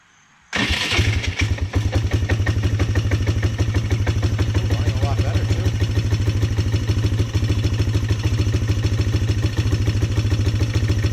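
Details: Polaris Sportsman 300 single-cylinder ATV during tune-up work: fires at once and settles into a steady, even idle thump with no misses or knocks; runs clean.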